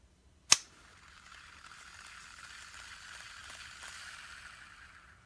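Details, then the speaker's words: Bass Pro Shops Tourney Special reel with new unlubricated ceramic bearings, ABEC 7 vs ABEC 5 compared: sharp click, then a light, even, high-pitched hiss that slowly fades; normal dry ceramic bearing spin. "the balls inside the bearings are ceramic and they're not lubricated so they run dry and make noise but they are much faster"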